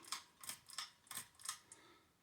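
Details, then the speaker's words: Early-1990s 52-inch Hunter low profile ceiling fan, polished brass, running on low speed: sharp dry ticks about three a second with little motor hum; subpar dry bearings needing oiling. "now one flaw of this fan is that that's some bearing issues and that's generally not common amongst the 1990s era Hunters but these are one of the few exceptions so I'm gonna have to introduce it to some zoomspout at some point"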